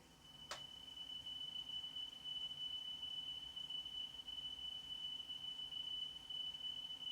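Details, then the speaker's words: Sony La Scala TC-S1 cassette deck playing a 3 kHz test tone for a speed check: pitch wavers in a rhythmic flutter, severe wow and flutter, tape seeming to speed up and slow down; cause unresolved after belt work. "but what we get is a fluttering if you listen again"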